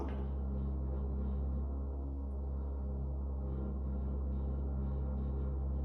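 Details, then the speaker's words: Intermittent deep droning hum and loud rattling vibration in an apartment stairwell, felt through the handrail, quieter in the hallway; suspected source around floors 17–20, sporadic on and off all day; sounds like drilling for hours. "Sounds like somebody's just drilling for hours."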